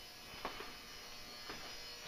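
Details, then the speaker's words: Old Hubbell 400 W metal halide lamp warming up, brightening past 30 seconds. A quiet, steady ballast buzz with a few faint ticks. Ordinary magnetic ballast hum, nothing wrong. "the buzzing sound you hear is the ballast resistance to Transformer buzzing away there you can tell sometime few seconds past the 30 getting brighter and brighter"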